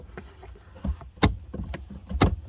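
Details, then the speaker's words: Jaguar XJS V12 barn find, sat outside nearly 7 years, fuel pump relay bypassed: irregular dull clicks and thumps about once or twice a second with no pump whirr; the electric fuel pump is seized, and it worked after bench testing. "well it's not actually working you can feel it clicking on"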